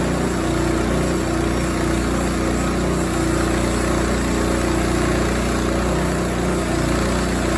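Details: Rima sawmill cutting a 20 ft, 3 1/4 in pin oak slab about 18 in wide, fifth cut on new blade: steady engine drone under load with an intermittent thin squeal; owner suspects pulley slip from feeding too fast, plus loud new bearing.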